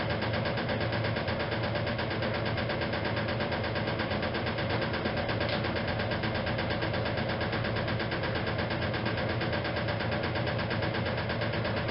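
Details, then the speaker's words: 1956 Whirlpool Imperial automatic washer, restored, in spin: steady rumble with a dull knock about 85 times a minute; the rear motor access plate was never refitted properly and is loose and knocking, not affecting operation. "about that knocking the sound that you hear that is actually the rear plate of the machine that says I never managed to get the motor access plate fitted back on properly from this machine"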